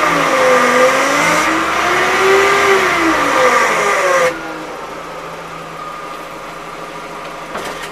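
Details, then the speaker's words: Used Chevrolet Aveo 1.6 power steering pump (Shanghai-built) before replacement: steady high whine with a wavering lower hum that then quietens; worn pump vanes and cam ring humming. "значит вот так он загудел вот такой звук у него [аплодисменты] [аплодисменты] был"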